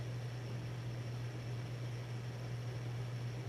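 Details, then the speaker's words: 1982 52-inch Hunter Original ceiling fan #22822, bright brass, Reverse-Aire brackets, capacitor three-speed conversion, on high at about 180 RPM on updraft. Smooth even low hum with steady airflow rush, no ticks or rubbing; normal running at high speed. "High's went around around 180 RPM or so on with on the updraft"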